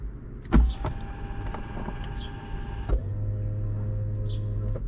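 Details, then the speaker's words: 2004 BMW Z4 E85 convertible top: after a couple of clicks the lift motor hums steadily and nothing moves; motor was dry, but the hydraulic system was weak and low on fluid from a leaking hinge cylinder. "but it won't the lift motor is just humming away it used to actually lift but it's uh hydraulically weak it's lost some fluid"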